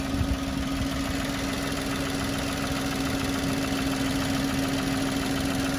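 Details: Citroen C1 three-cylinder budget track car at warm idle after coolant was topped up; it was steaming and smelt earlier, but the fan has not come on and it is not thought to be leaking. Steady, even hum with no knocks, misses or rattles; healthy.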